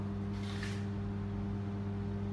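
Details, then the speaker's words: 120 V 60 Hz microwave oven run on 119-110 V 50 Hz from a generator through a step-down transformer: loud, steady low buzzing hum as internal parts vibrate violently in the outer case from wrong frequency. "As you can hear there are loud noise vibrations coming from the microwave ovens outer case"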